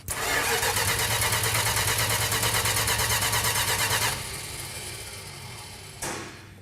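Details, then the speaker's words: Original-owner 1968 Dodge Charger R/T: starter turns the engine at a steady, even rate of about three pulses per second for four seconds without a single firing; cranks but won't start, more advance questioned, fuel then found pumping. "What? It's not firing. More advance?"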